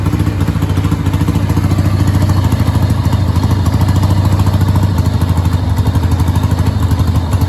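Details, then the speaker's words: 1989 Harley-Davidson Sportster 883 after carb cleaning and float reset, old spark plugs: low V-twin idle chugging unevenly with irregular pulses, won't hold idle, high end fine; owner suspects the rear cylinder, carb or a bad plug, unconfirmed. "so i think it's that rear cylinder i think it's just not um i can hear it firing"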